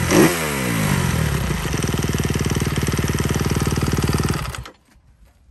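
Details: 2021 Kawasaki KX 250F single-cylinder idling with a light, fast tick riding over the beat, about four a second, like valvetrain tap; owner describes this engine noise as known on these models since 2020; cause not confirmed.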